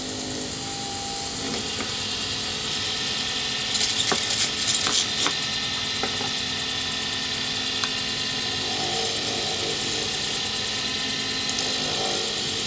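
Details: Wood lathe turning a D-shaped circuit board blank for a Sierra pen, ends pre-turned to bushing size: light steady hiss with a few brief louder scrapes; the lathe runs quietly and cuts smoothly, with very little noise and shavings in ribbons.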